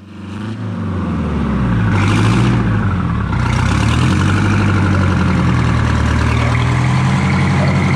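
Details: Detroit Diesel 4-71 two-stroke after rebuild and injector height tune-up (smoke gone): deep even drone picking up briefly then settling to steady regular idle, before idle rpm set with optical tachometer; healthy.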